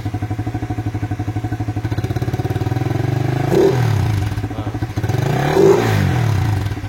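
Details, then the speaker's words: Suzuki FU 150 injection bored to 68mm and stroked to 55mm, now 199cc, stock Vixen exhaust, warmed up, ECU not yet remapped and AFR reading too lean at 15: deep, throaty bassy idle with two clean throttle blips; normal exhaust note. "Nah, suara knalpotnya kelihatan"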